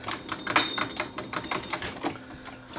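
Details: Irregular rapid clattering and clicking instead of a smooth hum from the transport of an unserviced Sony TC-540 reel-to-reel deck; the seized pinch roller arm isn't engaging.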